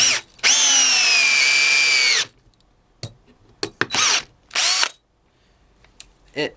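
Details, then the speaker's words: DeWalt DCD710 cordless drill/driver in second speed on a freshly charged 2.0 battery, driving a 5x60 screw. A high motor whine drops in pitch as the screw goes in; the drill bogs down at its torque limit. "can hear it's bogging down and the five by sixty is probably going to be the limit what it can do it"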